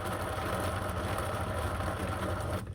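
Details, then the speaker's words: 1997 Polaris Indy 500 snowmobile suspension idler wheel spun by hand on removal, rough gritty whirring that cuts off; bearing is shot, and the nylon slides are also worn. "okay guys and girls this is why it's coming out see that that bearing shot and listen to this one"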